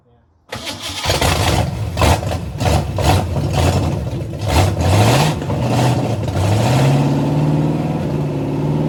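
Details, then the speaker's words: 1985 Mustang GT factory 5.0 (302) V8, first start in 20+ years after timing advanced slightly; fires after short crank into fairly even idle, no valve-train ticking over the exhaust, likely stock cam; sounds healthy, little smoke from headers. "A little 302 cranks up and runs. It sounded just fine. I didn't hear any valve train noise from up here."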